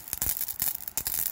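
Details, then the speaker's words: Kilowatt microhydro turbine supply line at about seven atmospheres, 20 minutes after start: irregular hissing spits and sharp bursts break the water jet as air bubbles expand in the line; pressure drops, and an oversized nozzle is suspected of drawing air in. "every time there's a little bubble it expands from like we'll say one cubic inch out to seven cubic inches as it changes pressure here so it's like a little explosion"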